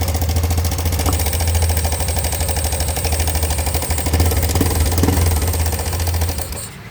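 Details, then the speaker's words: Honda Beat Deluxe scooter idling, used after riding through floodwater: rough busy metallic clatter, traced to a broken cam chain tensioner blade; fixed without an engine teardown. "jadi lidah ketengnyaah keng maksudnya tensionernya ini patah jadi inilah yang membuat si motornya dia berisik ya"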